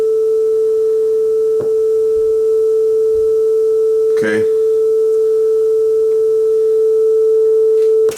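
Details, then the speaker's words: Yamaha KX300U belt-drive cassette deck after speed adjustment: steady single tone near 440 Hz holds pitch with only faint wow and flutter; deck now running at correct speed. "that is, I think, as close as this deck is going to get. I'm going to call that on speed."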